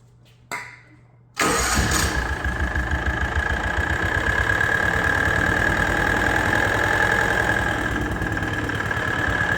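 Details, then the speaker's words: John Deere AMT 622 small engine, fresh oil change showing gray bearing-like material, before trying Lucas additive: fast idle with a loud steady rapid knock under a high whine; suspected rod knock, cause unconfirmed. "definitely hear that sound man that is loud I'm pretty sure there isn't anything that would quiet that down"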